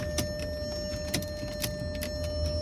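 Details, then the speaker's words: Salvage 2003 Porsche Cayenne S on jumper cables from a battery, trying to start: steady electrical whine with irregular sharp clicks and no cranking; owner suspects insufficient power and plans to jump from his truck. "i don't know just making that noise but it's not doing anything"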